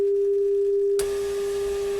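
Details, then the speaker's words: Restored Fisher 800B tuner, FM section, 400 Hz test signal fed directly into the antenna jack and turned down to 10 then 1 microvolt: clean steady tone with rising static hiss; reception still normal at low signal. "so right there is 10 micro volts that's a pretty small signal already and there is one microvolt that's a one microvolt signal and listen you can hear a lot of static right"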